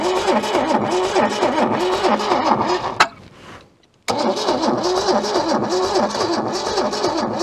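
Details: Long-abandoned junkyard Holden revived after decades; old engine fires with a loping, uneven beat, cuts out for a second, catches again, barely keeping itself alive before stalling.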